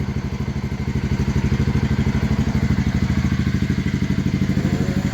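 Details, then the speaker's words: Honda CBR125R single after gearbox repair, previously sounding like rod knock from the blown gearbox; even, steady thumping at about three beats a second with no knocks or misses, a clean idle. "from a blown up gearbox that sounded like an absolute bag of bolts. [Music] to a crisp sounding nice CBR125."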